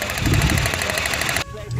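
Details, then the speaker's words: Renault K4M engine (Nissan Platina) running with ignition coils unscrewed, one coil lifted: quick even snapping about ten per second that cuts off sharply, showing a healthy spark. Another coil was the faulty one causing stalling. "we lift it up and you have to hear the next sound we lower it again that sound indicates that if we have spark and that it is working well"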